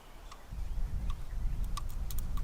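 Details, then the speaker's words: Abandoned 1971 Plymouth Satellite, not run in 20+ years: coil positive jumpered to battery, screwdriver opening the points; faint sharp irregular snaps over a low rumble show spark, points getting full 12 volts, somewhat smoky but working. "so with that our points appear to mostly be working they're getting a full 12 volts right now"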